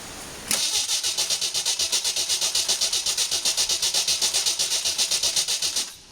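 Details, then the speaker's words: 1981 Jeep CJ8 Scrambler, AMC 258 inline-six, after conversion to Ford TFI ignition; starter cranks steadily but engine never fires; coil wire pulled shows no spark; ignition control module later replaced. "it. There is no spark coming from this coil, so I got something screwed up."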